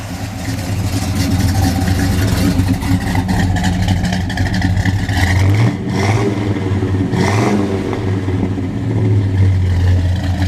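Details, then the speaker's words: Restored 1966 Pontiac GTO, 389 V8 with 3×2-barrel carbs and aluminum radiator: deep, lumpy idle with a mild cam lope, then two sharp throttle blips settling back cleanly; runs healthy and cool. "Yeah, sounds good. Runs pretty cool for a Pontiac too."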